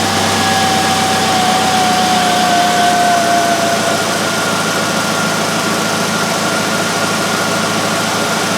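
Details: 1999 Pontiac Grand Am 2.4L LD9 Quad 4 after replacing a leaking fuel pressure regulator with a ruptured diaphragm, cold day: steady, even idle with a smooth low rumble and no misses, knocks or hiss; runs cleanly, no leaks seen.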